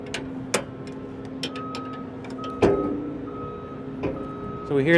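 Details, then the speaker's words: S700 combine concave levelling, rotor spun slowly in reverse while tightening the rear hanger bolt: sharp uneven metallic ticks every second or two, rotor elements striking a concave set too tight. "tick that's a little too much so we're going to back it off let Lucas keep spinning it"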